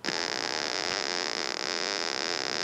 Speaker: okay i'm sure you can hear that the the angry bumblebee so that that's a result of the threshold not being set properly